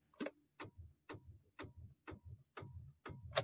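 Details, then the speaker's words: Tata Tiago iCNG, about 8 months old, key on and clutch pressed: steady clicks about twice a second, engine never turns over; won't start after stalling while driving at 20 km/h the day before; cause unknown. "गाड़ी मेरी start ही नहीं हो रही यार पता नहीं क्या हो गया इस कर में मेरे को कुछ भी समझ में नहीं ए रहा है"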